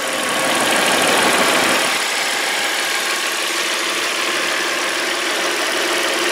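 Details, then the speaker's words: 2001.5 VW Passat wagon, idling: steady even hum with fine quick ticking, no knocks or misses; runs fantastic, healthy idle. "other than that this car is actually super nice looking super clean it's a great color and it just runs fantastic"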